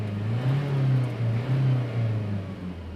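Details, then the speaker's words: Diesel engine revved after the turbo vacuum solenoid/actuator check, first from inside and then from outside: a steady low note climbing and settling smoothly with no whistle, rattle or knock. The earlier turbo noise under acceleration is gone. "तो वो जो पहले noise था व अभी नहीं हो रहा है ठीक है"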